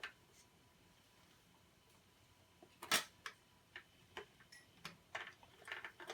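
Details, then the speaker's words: BSR C129R2 record changer, after cleaning and greasing, cycling with light clicks and clacks and dropping records one at a time as it should when set right. "when you have everything set right, it should just be dropping one at a time. They can get finicky."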